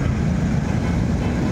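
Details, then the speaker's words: Kawasaki Barako III Fi 175 motorcycle after reset and RPM adjustment for too-high idle: low steady idle holding constant speed, no hunting or misfire, very smooth and quiet after long running. "Ganda ng minor niya. Hindi nagbabago, smooth na smooth yung"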